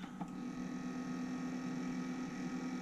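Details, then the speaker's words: 1993 Sony TC-K611S three-head cassette deck powered up: steady loud motor hum and whir but capstan roller not spinning, as original drive belts have turned to sticky goop after 30 years; needs new belts. "quite noisy I hope you can hear that and the Capstone roller is not spinning so on this deck when we switch it on the motor is supposed to drive the Capstone roller that's meant to be spinning all of the time and the motor's spinning obviously because we can hear it but the Capstone isn't so this will need some belts"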